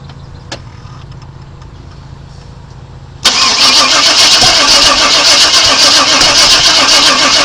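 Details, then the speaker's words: 1997 Chevrolet Suburban after sitting broken for years, fuel confirmed at the rail: loud, fast, even cranking about four beats a second with spitting and sputtering, never catches; crank no start, owner suspects ignition timing is off. "yeah the way it's spitting and sputter and it tells me it's trying to fire at the wrong time"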